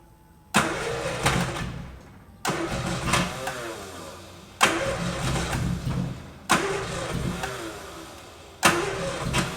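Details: 1973 Triumph GT6 sitting unused since 1980, first start attempts: five short cranking bursts about two seconds apart, each dying away without settling into an idle. Repeated cranking without a sustained start.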